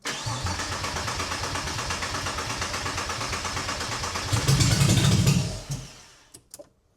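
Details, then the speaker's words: Porsche Boxster after engine swap from parts car, no exhaust fitted, brake cleaner sprayed in air filter, strong fuel fumes: steady starter churn about four turns a second, brief stronger surge, then dies; possibly old fuel; nearly starts. "That sounded promising. So, although it smells like there's a lot of fuel fumes from the engine, I just sprayed some brake cleaner in the air filter, and yeah, it looked like the engine wanted to start."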